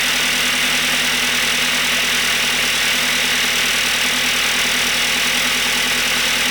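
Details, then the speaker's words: B5 Audi A4 1.8T after an engine swap, idling: fast, even metallic clatter, too quick to be bottom-end knock; owner suspects dry camshafts/valvetrain and considers oiling under the valve cover, unconfirmed. "It doesn't sound like knocking, but it sounds like those cams are, I don't know, dry as hell. I kind of want to pull the valve cover and douse it in oil or something. That does not sound good at all."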